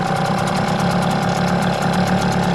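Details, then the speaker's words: Hangkai T6 6hp two-stroke outboard, first ever start, in water on a cold morning, engine still cold: slightly rough idle with even rapid beat and lumpy low rumble, idle a little fast; smoky exhaust. "So that's the that's idle. Little bit faster than I like. It is cold. So I let it warm up first."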